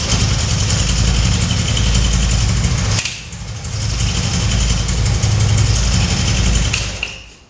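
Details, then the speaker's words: 1966 Triumph Spitfire MK2 four-cylinder on adjusted carbs, started to test the ignition: uneven, lumpy idle that stumbles, recovers, then dies; still misfiring; owner then rebuilt the carbs, but the cause was two spark plug leads swapped. "Okay, it still runs very rough, and I decided to go ahead and rebuild the carbs."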